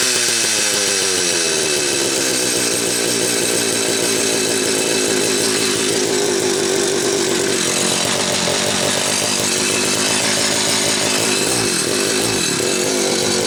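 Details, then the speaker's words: Late-'80s/early-'90s Homelite 330 two-stroke chainsaw, sat a while, then rebuilt with new hoses, carb kit and tank duckbill valve. Crisp, even buzz holding steady without surging or stumbling; runs clean and healthy. "It's been sitting for a while, but I believe she'll start right up."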